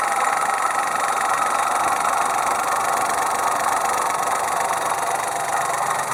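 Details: 2002 Opel Corsa C three-cylinder engine at steady idle with a continuous raspy hiss and no clear knock rhythm; the source of the noise is unknown.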